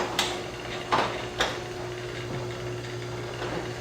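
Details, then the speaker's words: Liftmaster 8500 garage door opener closing; quiet, steady drive hum, then clicks and clunks as the door seats and the deadbolt lock engages at the bottom; normal closing. "Let me put it back down and listen. When it gets to the bottom, you'll hear that lock, that dead bolt engage. I like that feature a lot. I mean, that thing is whisper quiet."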